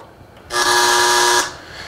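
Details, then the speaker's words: Panamax demo with a noise sniffer that amplifies EMI/RFI on the line into audible sound, plugged into an unfiltered AC outlet: a hard, steady buzz with stacked tones for about a second, the typical mains interference said to degrade audio/video equipment. "this sound that you hear is the the typical sound you hear out of most all AC others across the country this again is the amplification of the EMI and RFI noise in a system that will degrade the performance of your entire audio/video equipment"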